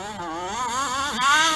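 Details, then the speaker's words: King Motor 1/5 scale RC (Baja 5B-style), small two-stroke, low on fuel: buzz wavers and sags instead of climbing cleanly on throttle; bogging and hesitation from fuel starvation. "whoa see you hear it doing that bogging it's it's a little it's low on fuel but like i said it's doing that because of that"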